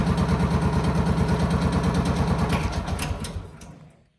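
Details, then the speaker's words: John Deere CX Gator small petrol engine after oil, air filter, fuel filter and spark plug service, no fuel filter leaks: thumps evenly at about three beats a second, then shuts off cleanly; healthy idle. "there's not much fuel comes through that mid filter that sounds good everything looks good"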